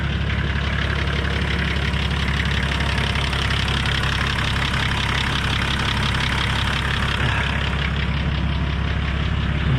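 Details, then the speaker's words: Nissan Patrol TD42 diesel idling after an oil and filter change, letting the filters fill, engine warm from running that morning; steady even clatter at low idle, about three firing beats a second, no misses or knocks; normal idle. "I'll crank it over and idle it, just let those filters fill up with some oil."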